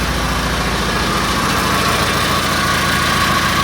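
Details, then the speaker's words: Original engine in a free 1986 Toyota Tercel station wagon, later swapped for a rebuilt 3A-C: loud, uneven, lumpy idle with heavy shake and a dead cylinder despite spark; cause unknown until teardown, internal damage suspected. "Spark, but it does nothing on the engine. So I don't know what's wrong with the engine, but we'll tear it apart and figure that out soon."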